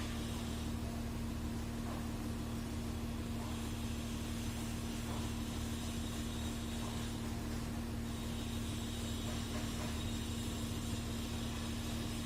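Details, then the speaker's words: Porsche Cayenne diesel (2011–2017) after fixing a no-start/no-communication fault: relay swapped, ECU now scans and codes cleared; smooth, steady idle with an even low hum, no misses, knocks or surging; normal idle. "यह clear हो गए सारे file चले गए हैं जो engine control unit पहले तो स्कैन नहीं हो रहा था तो स्कैन हो गया है और गाड़ी ओके हो गई"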